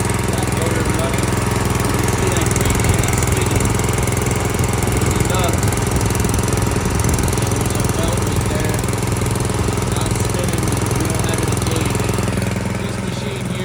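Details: Brand-new Harbor Freight Predator engine, just swapped onto a rear tine tiller and started out of the box: steady, even single-cylinder rattle holding constant speed, no misses or surging; running normally.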